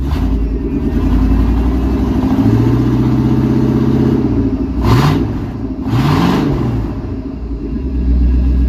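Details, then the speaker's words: 1999 K1500 Suburban, 350 (5.7) Vortec with rod knock, after new rod bearings and oil change, catalytic converters stolen so loud, about 50 psi oil pressure at idle: V8 blips up and settles cleanly twice, no knock or slap; normal revving. "Somebody stole the cats off this thing, so it's a little loud. I can't believe that worked. Fresh rebuilt 350 Vortec."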